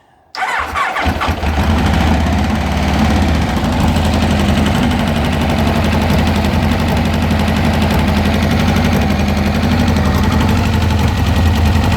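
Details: Kawasaki Concours motorcycle after carb installation: starts and idles unevenly with a lumpy, stumbling misfire because one intake valve came loose from its spring and stayed fully open.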